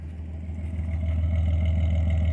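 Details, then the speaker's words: Datsun 280ZX after new fuel filter and new fuel injector, fixing a bad misfire: nearly warmed up, steady smooth low idle with no stumble or skip, rising slightly; running cleanly. "running nice and smooth. It's almost warmed up. I'm gonna give it goosey a couple times. Just much better, much happier."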